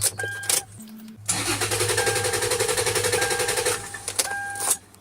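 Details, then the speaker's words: 2010 Toyota 4Runner, no PCM communication, water on carpet: starter cranks at a steady even rhythm for a few seconds but never catches; crank no start, blown 10A fuel injector fuse found in engine compartment. "it only cranks but it won't start. Checking fuses in the engine compartment and I found a blown fuse, 10M fuse. This is for the fuel injectors."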